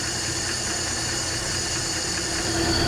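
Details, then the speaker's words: 1968 Ford F100 with one-barrel carburetor, first start after sitting about 20 years: even, smooth idle where the air rush through the carburetor is louder than the engine; healthy idle. "listen to this thing purred up seriously the air velociously flowing through that one barrel carburetor is the most noise this thing's making"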